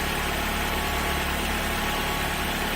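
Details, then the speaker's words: Ford Focus that ran terribly with lean code P0171, restarted after clearing codes; a broken air box was found as the cause. Steady, even idle with no hunting, misses or surging, sounding smooth; normal idle. "I'll tell you what, that sounds pretty darn smooth."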